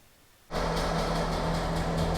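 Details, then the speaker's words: Trabant 601 two-stroke after full service (new spark plugs, brakes) on fresh clean two-stroke mix: after a quiet start it catches and settles into a steady, high chainsaw-like buzz; starts and runs lovely. "We've just put a full clean 2-stroke mixture in and it starts absolutely lovely. And it sounds like a chainsaw."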